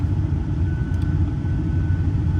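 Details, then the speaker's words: Four-wheel-drive auction-yard truck considered as engine donor, would need a timing chain kit: steady, even low rumble at idle, exhaust heard, no misses, knocks or ticks; engine sounds smooth, normal idle. "Gosh, this engine does sound smooth, guys. It does sound smooth."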